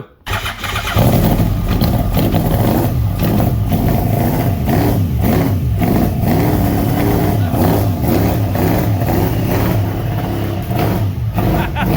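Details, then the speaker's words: Golf cart with big-block Chevy-sounding engine, four Apex injectors on FuelTech EFI, first start: loud lumpy uneven rumble that surges, very smoky with tailpipe flames; believed overfueling. "It's alive! Yeah, it does sound like a big block Chevy. Ooh, she's awfully smoky."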